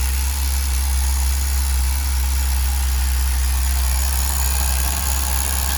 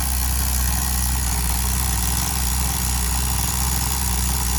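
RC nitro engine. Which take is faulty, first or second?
second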